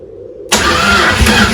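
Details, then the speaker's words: Chrysler 360 LA V8 in a Valiant CH hardtop, first start after sitting a long time, heavy blow-by noted: quiet cranking, then a ragged catch with weak uneven firing struggling to settle. Cause not confirmed. "it might start mine it's tried to fire but not very well"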